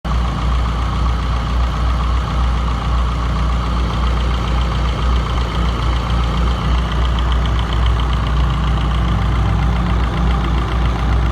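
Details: Toyota 4A-GE 20V petrol engine idling steadily with a light, fast ticking over the low rumble; ticking disappears after a fix.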